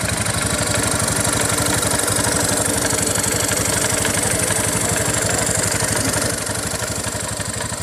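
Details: Honda Beat FI automatic scooter idling with a rough, rattly grind over an even beat of about three a second; noisy CVT, attributed to infrequent CVT servicing.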